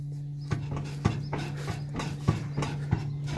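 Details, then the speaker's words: 1991 12-valve Cummins dually with death wobble, wheels off: sharp irregular clunks as a rear wheel hub is rocked by hand; hub feels loose, nut last done three or four years ago. "if you can hear that you probably can't see it this one feels a little loose"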